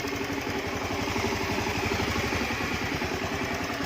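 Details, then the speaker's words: Honda Beat FI scooter that had hard starting and rough sound, after injector checked and spark plug replaced, intake rubbers replaced and cleaned: steady, even idle with smooth beat, no roughness or hunting; normal idle, back to normal. "setelah itu dibersihin bagian belakang bodi bagian intake karet-karet yang di sini gua udah diganti trimotor sudah kembali normal lagi ok"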